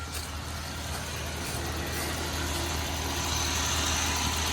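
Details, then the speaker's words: Dodge Ram 1500 that broke down at work, check engine light on, idling: steady even idle with fast regular pulse, no skips or stumbles; no misfire heard, owner suspects fuel filter, not confirmed. "because I just don't it just don't sound like a a misfire doesn't sound like something like Feud wise"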